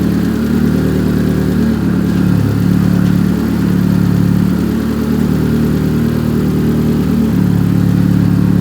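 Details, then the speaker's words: Big-turbo Chevrolet Cobalt SS after spark plugs cleaned and regreased, driven in rain with wheels spinning; strong, even engine drone with steady low pulsing, no break-up and no check engine light; normal running. "but the good news is it hasn't broken up no check engine light"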